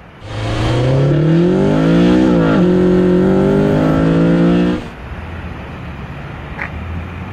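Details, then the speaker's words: 8th-gen car after replacing all engine mounts with Hasport billet mounts, first and second gear pulls: strong rising revs with quick clean shifts, no wheel hop, shudder or clunk; smooth. "that sounded completely different there's no wheel hop no engine noise none of the ggggg it was smooth as can be"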